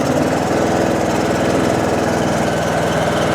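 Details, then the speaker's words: John Deere D140 with 196 hours that squealed when the clutch/brake pedal was released, traced to failing drive-belt idler pulleys, parts still to order. With the pedal pushed in, a steady, even engine drone with no belt squeal or chirp; nice and quiet. "She's nice and quiet. She's nice and quiet now."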